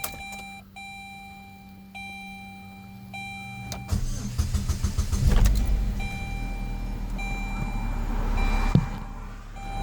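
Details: Saturn Ion, manual, after PCM connector corrosion causing stalling/starting and electrical issues was cleaned with DeoxIT D5 and dielectric grease: a few chime beeps, short crank, engine catches promptly and settles into steady, even idle; normal start.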